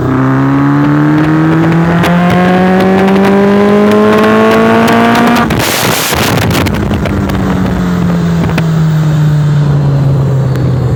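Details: Warm motorcycle on small throttle; engine note climbs and falls with sharp irregular pops and stumbles; misfiring.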